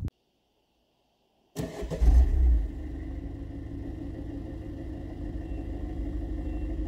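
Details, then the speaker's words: Citroën C4 HDi diesel, stock mapping, before planned turbo and parts upgrades: fires up, blips once, then settles to a steady diesel clatter with only a faint turbo whistle under the engine noise; normal, healthy running. "Bon, tu l'auras compris, c'est pas vraiment fameux. On entend un léger bruit de turbo, mais on n'entend que le moteur."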